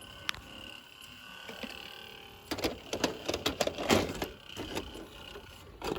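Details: Sony SLV-D370P DVD/VCR combo, plays movies fine on both sides: irregular soft clicks and whirring bursts from the DVD drive while the disc spins; mechanical noise in the DVD mechanism, cause unclear.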